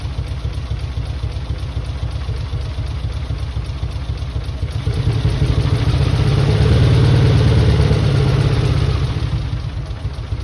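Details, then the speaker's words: Mitsubishi 3000GT VR4, new engine's first start on old, long-sitting cleaned injectors. Lumpy low exhaust pulses, about four a second, stumbling unevenly and swelling with a blip. Owner suspects injectors, with one or two cylinders misfiring. "Probably one cylinder misfiring right now, or maybe two."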